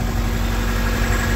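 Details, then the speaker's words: Classic Mini with Honda B16 VTEC swap, run after steering column rebuild to charge the battery: smooth, even low idle with steady rumble, no knocks or rattles, nothing loose underneath; normal idle. "So I'm just going to leave it run, let it charge the battery, might bring it on a spin around the corner. Yeah, she still sounds good."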